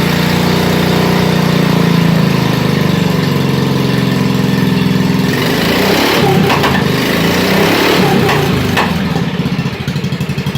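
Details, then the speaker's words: 1987 Wheel Horse 211-4 mud mower, single-cylinder with snorkel intake, not yet warmed up: starts with a steady drone then hunts unevenly at idle; jetting issue suspected, lean or possibly rich as it smokes slightly, idles unaided; rough running. "still has a little bit of a jetting issue I think it's running a bit lean it smokes a little so it kind of indicates that it's running rich but it'll idle under its own power"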